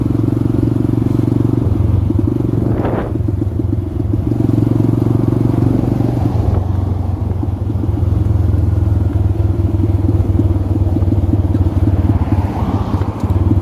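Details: X-Pro electric-start dirt bike: single cylinder runs with an uneven, stumbling beat and skipped firing strokes that could be mistaken for an idle air screw or carb problem. Ignition misfire from a coil left ungrounded after reinstallation.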